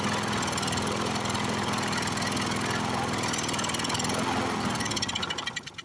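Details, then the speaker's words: Briggs & Stratton 6.0 hp single-cylinder mower engine, seized from long sitting, fresh gas, primer gasket torn, bottle-fed fuel. Runs rough and uneven, then slows and stalls. Owner says the carburetor needle valve is sticking from varnish. "i think that needle valve's sticking every once in a while now needle valve definitely sticking in it small varnish"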